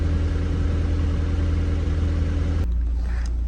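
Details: Mk1 Audi TT, saved from scrap: after immobiliser work it now starts, idling with a low, even burble, no knocks or misses, then cuts off; normal idle despite engine management and airbag lights.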